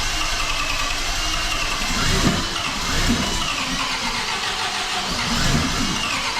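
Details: MGB engine's first start after a major overhaul and supercharger fitting, run 40 seconds without coolant: hard to start, then loud, ragged running with hunting revs and a harsh top end, plus some exhaust smoke. Needs adjusting.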